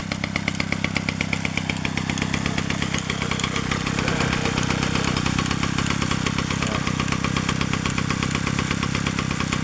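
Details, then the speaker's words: 1947 Danarm Junior Mk1 two-stroke chainsaw after full restoration (new bearings, coil, condenser; remade fixings; timing set), running on a drop of fuel with no tank yet: crisp, even firing settling to a steady idle, no knocks or misses; clutch operates fully, runs normally. "There she is, she runs, and the clutch operates fully, which is good."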